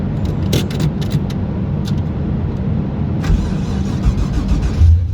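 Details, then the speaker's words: Holden VK Commodore, stock LS1 with turbo, freshly fitted Haltech Elite 2500 ECU: engine catches quickly and settles into a steady, deep idle without hunting during post-start; clean start, idle control working, better than previous ECU. "Starts up beautiful, unlike the last ECU. Idle control doing its thing."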